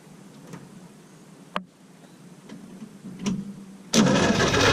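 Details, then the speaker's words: Willys truck after rebuild, a little fuel in the bowl, battery connected: a few faint clicks then steady starter churn, no firing; cranks but no start because the other wires to the coil were not hooked up. "Well, Give Me Fuel, Give Me Fire definitely plays a role in this because I forgot to hook up the other wires to the coil."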